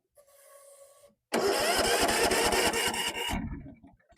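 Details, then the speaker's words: Old Tecumseh 17.5hp engine on a Yardworks ride-on mower pulled from a dirty barn with off-colour fuel, cranked with starting spray: loud run of ragged pops for about two seconds, then it dies; fires briefly on starter fluid. "Signs of life."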